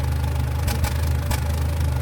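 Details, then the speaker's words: Nissan Platina with loss of power and trembling idle: loud, uneven idle popping like gunshots at irregular moments. The scanner shows no misfire code, only immobilizer and sensor-supply faults; a failing spark plug or coil is suspected, not confirmed. "parece que está aventando pues balazos amigos y el detalle está que no nos marca nada esto casi cuando es así nos está indicando que alguna bujía alguna bobina está fallando"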